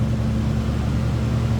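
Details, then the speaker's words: 1987 Oldsmobile Cutlass Supreme 442 V8, stock exhaust, recorded at tailpipe: deep even rumble with steady lope, no ticks or rasp; normal exhaust idle. "Nothing crazy over the top as far as exhaust. I'd say it sounds like a stock 87 Olds Cutlass should sound."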